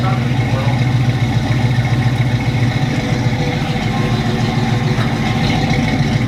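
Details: 1980 Chevrolet Camaro Z28, factory LM1 350 with Turbo 350 automatic, after sitting about 5 years: a deep, steady V8 rumble holding an even idle with no misfire or mechanical knock. Any smoke is just the header cooking; it runs fine.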